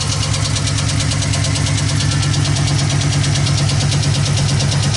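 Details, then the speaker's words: 2015 Chevy Express van 4.8L, knocking under hood, right side near exhaust: heavy sharp metallic knock about three times a second at idle, first thought rod knock; failed roller lifter on right side, camshaft replacement recommended. "Almost sounds like a rod knock. Let's give her a little gas, see what we hear. That don't sound like a rod knock. Sounds weird. Definitely sounds like a hard hit from under here."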